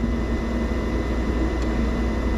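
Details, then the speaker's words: Tesstudio mini fridge installed in a Tesla Model Y/Model 3, set to 16 °C on a sunny day of about 85 degrees, heard up close: an even low hum with a faint steady tone and no knocks or rattles, the compressor running quietly and healthy. "is pretty quiet, actually. That's not bad. You're right next to it here, too."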